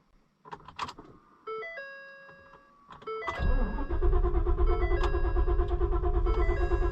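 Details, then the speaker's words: Auction-bought cheap Ford Super Duty after replacing fuel pump control module: door chimes, starter cranks steadily but never catches; cranks no start, owner wonders about air in system; code shows fuel pump module control circuit open, lost communication. "there it goes it tried to start that time maybe it's got air in [Music] it I tried to freaking start"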